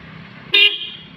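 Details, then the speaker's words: Toyota Kijang dual horns after replacing corroded wiring from relay to horns: quiet street, then a loud steady two-tone honk of about a quarter second that tails off; both horns sound strong and clear. "Sementara ini tadi kan sudah kita dengar sama-sama, kedua-duanya klakson hidup, dan akan kita tambah ini satu lagi nanti bagaimana pula suaranya."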